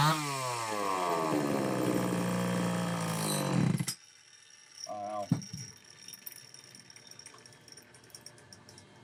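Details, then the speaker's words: Homelite XL-903 chainsaw after carburetor work, stiff fuel hose possibly not letting filter sit in fuel: screams at high revs, pitch sagging, dies abruptly when throttle drops; won't idle on low speed circuit, running lean. "Looks like it won't run on that low speed circuit at all."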